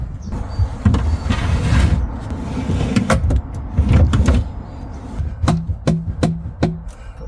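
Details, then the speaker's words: DIY drawer on 100kg ball-bearing slides in a lifted Land Cruiser, slide missing ball bearings: rough rolling rumble then sharp metallic knocks as it stops dead; jammed on something metallic, possibly a popped-up tab. "sounds like it's got a hard stop on something. That side's okay, but this one's completely jammed on something metallic."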